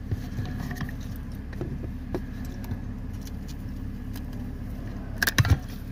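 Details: BMW E60/E61 steering clunking noise: low steady engine rumble with a few sharp clunks near the end as the steering is worked.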